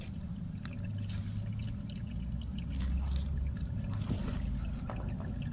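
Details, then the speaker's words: Pool with unidentified leak, heard at the skimmer side while blocking pipework: steady low rushing of running water below ground, no rhythm; major underground pipe leak. "can you hear something sure I can hear running water down"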